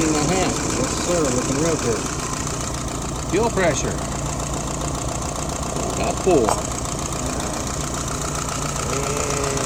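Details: YF 738S carburetor, restored and fitted to a CJ5 for a test run, running at an even, steady idle with no misses or stumbles; ignition points still need adjusting; normal idle.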